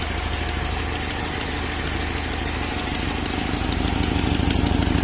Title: Ticking sound, could be leaking manifold?